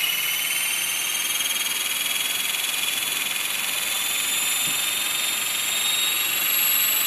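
A high, steady whine with a faint buzzing flutter over it during hover; something in the rotating parts is vibrating, source not yet pinned down.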